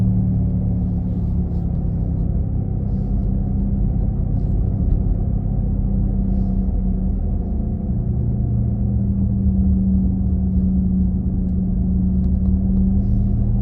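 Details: 2017 Nissan Leaf: steady low droning rumble with faint tonal hum from the rear while driving, loudest at 40-50 km/h but present at other speeds; unexplained engine-like drone, owner asks if normal.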